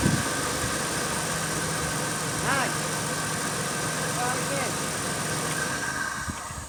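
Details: 1998 Dodge Grand Caravan with 80,000 miles that clicked but would not start, now with a replacement battery fitted. The engine catches and settles into a smooth, even idle with no clicking, so the fault was just the battery.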